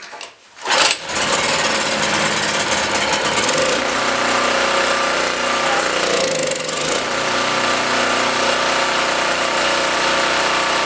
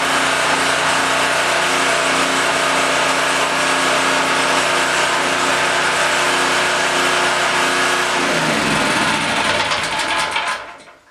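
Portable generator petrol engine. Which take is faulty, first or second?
first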